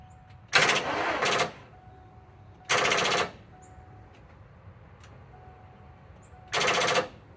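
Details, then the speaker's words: 1992 Ford Bronco, not running, first start attempt: lights come on but three bursts of rapid machine-gun clicking, each under a second, with no cranking; battery too dead to turn the starter. "Good news is things light up. Bad news is this battery's dead too."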